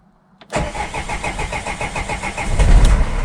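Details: Opel/Vauxhall Vivaro diesel no-start traced to a holed fuel priming bulb; starter whirrs briefly, then the engine catches and settles into a steady clattering idle, confirming fuel starvation from the damaged priming bulb.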